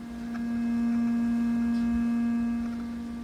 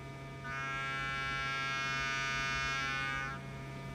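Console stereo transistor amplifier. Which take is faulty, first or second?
second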